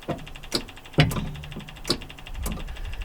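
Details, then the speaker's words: JCB MIDI CX backhoe with key on, brake pedal pressed: sharp irregular clicks with a low thump as the inching-valve relay and solenoid actuate normally; machine had been losing drive power while the engine ran fine. "Can hear the relay back there clicking. And I can hear the relay itself. I mean the uh solenoid. I can hear the solenoid actuating."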